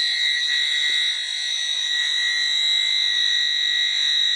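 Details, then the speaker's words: Commercial boiler plant room, sniffer test of equipment: loud steady high-pitched alarm that never lets up, detector sensing strong gas concentration; must be switched off, connection afterwards judged fine. "He's not even going to calm down. I'm probably going to have to turn him off."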